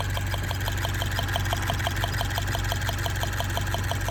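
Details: Direct-injection Subaru BRZ idling, ticking noticed the day after getting the car back: fast even light ticking about three per second; owner suspects lifter or injector tick, not confirmed; car later threw a misfire code.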